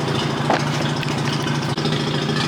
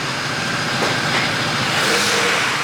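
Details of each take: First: First cold start of a BMW after sitting in a damp garage a few days, Mazda RX-8 also running nearby: steady, even, smooth low idle, no knocks, misses or rattles; owner attributes exhaust moisture to sitting. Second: Mazda RX-8 rotary, hard cranking with no start: steady whirring crank that never catches, tone shifting slightly as the throttle is pressed and bogging a little. Owner suspects it needs plugs or isn't getting enough fuel.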